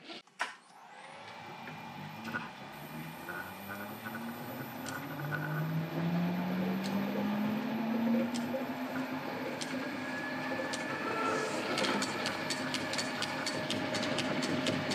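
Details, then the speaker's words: Lorch lathe cone pulleys with newly made clipper-laced jointed belt: motor hum spins up, then light regular tick about twice a second from the belt joint; normal for a jointed belt. "We've got a nice healthy click there. You're going to have to live with that in my videos. I don't mind the sound."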